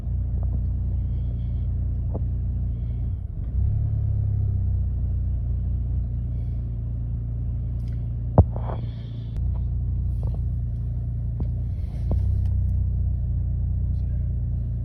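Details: 2008 Chevy Malibu rough idle and acceleration: low engine rumble wavering and lurching unevenly with a few sharp clicks; cause unknown.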